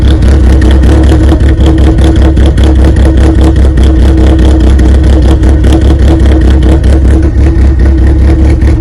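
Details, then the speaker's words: 1995 Plymouth Neon ACR with a big cam, during restoration: loud, lumpy idle with a steady choppy beat, even and unbroken. Runs as it should. "now really you hear it it sounds great"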